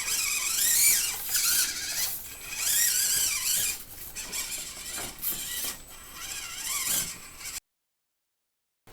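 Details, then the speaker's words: Axial SCX24 JLU RC crawler with OGRC CVD axles, 11% front and 33% rear underdrive gears, and knuckles trimmed for more steering: a shrill, warbling squeal surges as the motor strains and stalls at full steering lock from drivetrain binding. "But it at throttle I'm didn't let off the throttle, but it just stops the truck when you're turning and you take it apart and everything feels loose and free."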